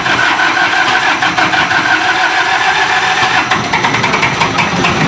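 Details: Isuzu diesel generator engine with a hard-starting problem, after troubleshooting: cranks and catches cleanly, then settles into a steady even clatter; now starts normally.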